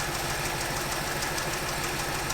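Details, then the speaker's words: 1964 Chevy Impala, 283 V8 with Powerglide, off the road 28 years, newly revived and idling: light quick ticking keeping pace with engine speed over steady idle; valve lifter tick, quietening down somewhat as it runs. "jimmy our lifter ticks even quieten down a little bit"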